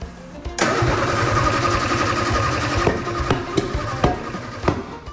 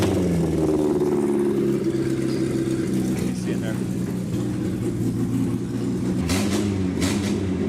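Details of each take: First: 1967 Austin Healey Sprite being revived after years of neglect, no exhaust fitted, during ignition timing checks: loud open-pipe running with uneven, lumpy beats and stray sharp cracks; rough running, ignition suspected 180° out, not confirmed. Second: 1967 Austin Healey Sprite revived after years of neglect, carburetors just adjusted by hand: even engine note pulling smoothly while driving, clean throttle response, no misses or knocks; runs healthy.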